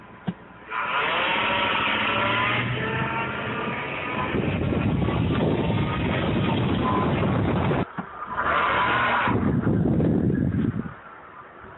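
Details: 1998 Ford Taurus SHO, 80k miles: engine revs up and down with a steady whine rising and falling with engine speed; cause unknown, driveability unaffected.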